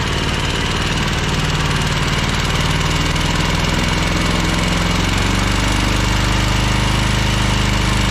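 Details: Ferris 52-inch commercial walk-behind hydro mower, twin-cylinder, before repair: smoking and burning oil, low power, worse when PTO engaged; uneven lumpy stumbling beat about three pulses a second, running rough on one cylinder.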